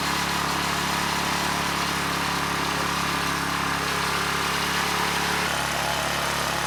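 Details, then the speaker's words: ETQ 2700-watt generator with brushless powerhead, after carburetor work keeping the original jetting: smooth, even drone with no surging but pitched too high, 70 Hz with no load; engine overspeed. "the good news is it's no longer surging the engines running really well and actually a little bit too good it was at 70 hertz without a load"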